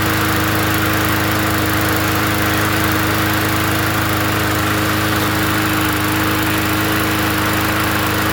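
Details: Free 20-inch Bolens gasoline push mower from the dump, first run after adding gas: a smooth, even drone at constant speed with no misses, surging or knocks; the engine runs steadily and healthy.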